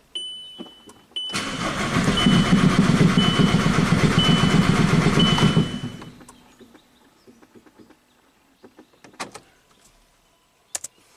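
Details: Circa-2006 VW Jetta TDI, down four years after an engine swap with new flywheel: steady starter cranking about four compression beats a second for five seconds, never firing; wiring and cam sensor ruled out, timing suspected; crank no start.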